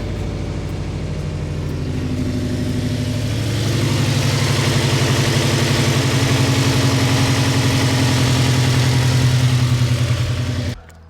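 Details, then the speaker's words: Mazda MX-5 NC idling after full exhaust midpipe replacement: steady even burble, a little louder, no ticking or puffing leaks; normal idle. "It sounds a little bit louder, it's not about right,"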